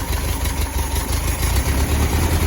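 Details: 1972 Westfalia 1700 Type 4 with dual 34 Solex CB Performance carbs, hard to keep running under 2000 rpm: low, lumpy idle around 600 rpm, barely running and near stalling; cause not yet found, timing still to be checked. Rough low idle.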